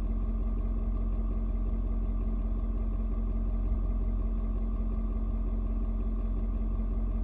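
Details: Ford Super Duty 6.7 diesel, cold start at 56°F, settled after adjusting its fuel mix to the temperature. Steady, even clatter and a smooth low rumble with no misses or knocks; healthy and warming. Normal cold idle.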